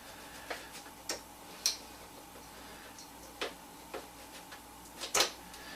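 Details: Breville BES250XL cappuccino machine, pump not working: only sharp irregular light clicks about once a second with no pump buzz; vibration pump seized, tested by powering it directly, later restored rather than replaced.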